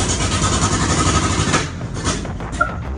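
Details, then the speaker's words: 1968 Suburban, first start after 5.3 LS swap: loud, ragged roar with popping bursts and flames, never settling. Timing checked and found good; loose ground, wiring harness and cam sensor later found at fault. "start those Flames were flying it was crazy but we knew something was wrong"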